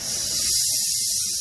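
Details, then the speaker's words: Nitro cold brew keg, pull ring pulled slowly to vent built-up nitrogen before opening: steady, bright hiss of gas escaping for over a second, then easing off; normal pressure relief venting. "it does make a loud hissing noise if you pull it really fast so you can start by kind of releasing the pressure slowly and you can start to hear the nitrogen hissing out"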